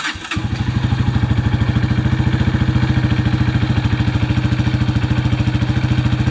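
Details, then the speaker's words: 2005 Honda CRF230F after carburetor cleaning and battery charging, previously non-starting: engine catches right away and settles into a steady, even thumping idle; clutch chatter noted earlier; normal start and idle. "Got it running. Thanks for watching. Hey everyone, thanks for watching today. We got the Honda CRF230 up and running."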